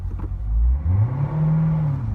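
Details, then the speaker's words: Corvette automatic transmission, worse when just started after sitting: shifting park to reverse, park to drive or reverse to drive gives a hesitation, delayed gear engagement then a harsh kick. "there's definitely a hesitation or a lag it's a delayed engagement of the gear"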